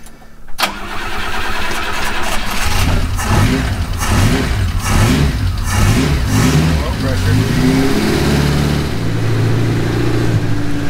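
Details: Cushman kei mini truck, first start after engine rebuild with new rings and oil-soaked intake and exhaust: it cranks, catches and settles into a lumpy, uneven low idle with chuffing; cause unclear.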